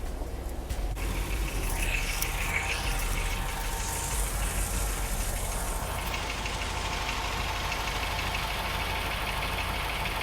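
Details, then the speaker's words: After epoxy repair of a leaking exhaust manifold collector, engine idles smoothly with only a soft muffler hum from the rear; no ticking or puffing at the manifold, so the leak appears fixed. "Alright, sounds like it's sounding pretty good. The only type of exhaust sound that I hear is just the mufflers in the back. I don't hear any type of, type of lullaby up here."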